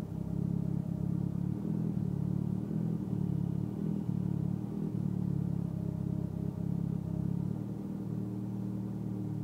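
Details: Mitsubishi Evo X at idle: a low rumble with an uneven, loping beat and no steady rhythm. Rough idle, cause not evident.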